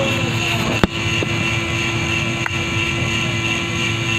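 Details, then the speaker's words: Renault Kwid with no-crank no-start fault: a steady electric motor hum and whine heard from the ABS motor running continuously, with vibration and the instrument panel also making noise; cause not yet scanned. "Internal भी sound आ रहा है as motor इतना sound कर रहा है"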